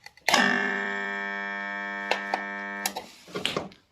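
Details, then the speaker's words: Haier air conditioner compressor, seized, plugged in with its original 40 µF start capacitor: loud steady electrical hum with a click, then cutout after about two and a half seconds; compressor never spins. "压缩机卡的很厉害啊嗯响啊起不来再插上电试一下"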